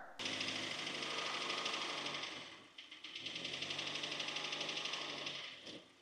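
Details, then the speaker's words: 2015 Hyundai Elantra engine with only about 80,000 km running: loud, fast, rattly metallic knock from bad piston slap, the skirt rocking and scrubbing the cylinder wall. "The side of the piston or the skirt will scrub on the cylinder wall and well, this happens very fast as the piston is coming up and it creates this rattle or knock. This car had piston slap real bad. It was really loud."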